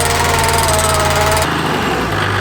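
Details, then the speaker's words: Rebuilt 20-year-old Warn 8274 high-mount winch, unused nearly 10 years, fitted to an 80 series, full-load test pulling about three tons dead weight uphill, car not in gear: steady low motor drone with strained laboring hum; owners feel it bogs down, cause unknown. "it sounded like it was really bogging down yeah it did i'm gonna have to have a think on that one because yeah i just felt like i would have had more power or it should have more power"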